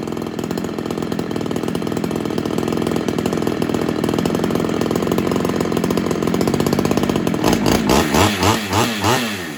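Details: Ported Homelite XL-76 two-stroke chainsaw that keeps starving for fuel, test run after fitting a better Proline fuel filter: rough, uneven running with revs rising and falling, never settling; bogging persists, owner suspects carb needs modifying or a heavier reed.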